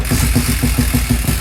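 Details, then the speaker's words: 1968 Benelli 350 (Montgomery Ward Riverside) motorcycle after 50 years in a barn, carburetors primed and idle adjusted: kick catches and it fires straight into a lumpy, even chuff of about seven beats a second; engine starting and running. "Oh, oh, it kicks like a mule. It does."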